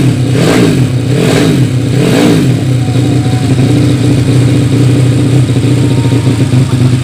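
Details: Yamaha Vega ZR with 200cc Mio cylinder swap (66 piston, standard stroke), Tiger carburetor, after re-jetting to main jet 145; sharp blips then steady, even run with clean throttle pickup, healthy and well jetted.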